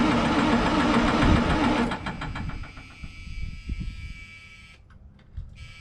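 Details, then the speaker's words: White GMC diesel truck on day three of start attempts: starter churns at a steady rhythm for about two seconds, never catches, then winds down. Crank, no start; shutdown buzzer sounds during cranking. Owner suspects lost fuel prime; it later ran after priming the filters. "i'm just going to try and crank that thing over and see if it'll start"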